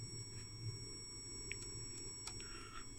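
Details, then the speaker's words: PROMAX RP 100Q return path pilot generator, case opened with the display lit: faint steady high-pitched whine with several constant tones, from the backlight generator or a switch mode power supply. "light generator is screaming. Or... There's a switch mode power supply."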